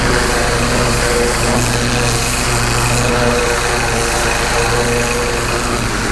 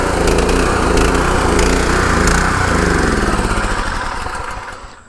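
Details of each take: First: Pressure washer with rebuilt Annovi Reverberi XMV3G25D pump (new front oil seal and bearings), adjustable pressure regulator, test run after rebuild: steady loud even engine drone with constant pulse, no knocks or surging; healthy, engine later running low on gas. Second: Gravely engine powering a pressure washer just after its Annovi Reverberi XMV3G25D pump front-seal rebuild: steady drone falters, surges and winds down to a stop as if fuel-starved; owner suspects it's running out of gas, unconfirmed.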